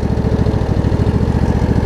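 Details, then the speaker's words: Craftsman DLT riding mower with a Briggs V-twin, after a carb clean and kill and stator wiring repair: it idles low and steady with an even throbbing pulse and no misses or surges. "idles beautifully it looks good"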